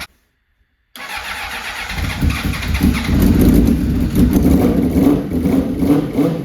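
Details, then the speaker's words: Honda CBR600RR after timing chain replacement, still ticking: bike fires up and blips throttle with a light fast tick under the engine note; cause found as slack oil pump chain, fixed with a made tensioner. "oh no way so good news is the bike runs bad news is I'm still hearing a ticking from the motor"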